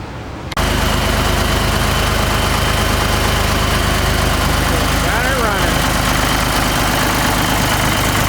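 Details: Ford 3600 tractor diesel after a second CAV injector pump rebuild (plungers gummed by old diesel) and a melted battery terminal: steady, even diesel clatter at idle with no misses or knocks.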